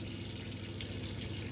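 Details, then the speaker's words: Motorhome water system after priming, tap open on the hot side after the cold: unbroken, even rush of water with no coughing or spluttering; good pressure and no air left in the lines. "I can now turn it over to the left for the hot side. Same again, really good pressure, no coughing, no spluttering."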